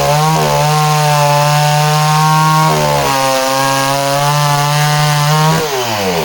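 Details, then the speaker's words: Danarm 36 "hot rod" chainsaw with stainless steel exhaust, cutting wood: strong steady howl dips and recovers cleanly with no stutter; intermittent off-load misfire disappears under load, healthy running. "even with that uh intermittent misfire when she's kind of offload the minute the engine's loaded up the misfire seems to disappear that's really interesting as well"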